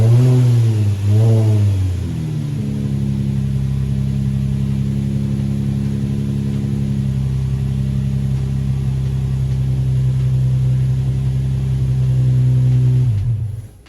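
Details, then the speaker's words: Car that previously made a noise on start and then wouldn't start, after battery exchange: starter whirs briefly, engine fires right up and settles into a steady, even idle, then shuts down cleanly. "all right that's it yo it fired right up"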